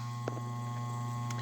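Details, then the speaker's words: Hardy H2 outdoor heater damper blower motor: steady low electrical hum with no airflow or blade whoosh as the damper opens; fan is powered but stalled. The motor had a dry, squealing bearing and was replaced. "here lately when the blower motor comes on i can hear the bearing in there pretty dry squeal and take a while to turn on sometimes i had to come out here with a stick or my pocket knife and stick it in there and start it and get it going"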